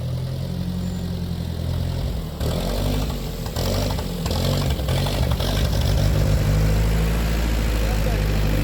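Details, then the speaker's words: 1947 Ford 8N tractor, just started on jumper cable, out of gear: low uneven lumpy idle with irregular beat nearly stalling, then steadying as carb is adjusted with a screwdriver; rough idle. "I thought she was gonna shut up so I'm now adjusting the carb a little bit you're gonna hear in a few seconds that she does smooth out"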